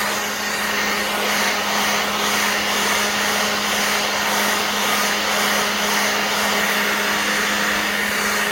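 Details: Black+Decker 20V cordless blower/sweeper running on a new battery: a strong, steady motor hum with an even rush of air that holds constant throughout; the blower runs normally at full power.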